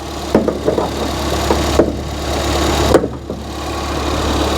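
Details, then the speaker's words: Ford Fiesta ST running for the first time after the keys were coded back in; really quiet, steady low hum at idle with an even beat and no knocks or ticks, car now runs and drives; normal idle. "that sounds really quiet really quiet that's good that well there we go we have a running and driving fiesta st"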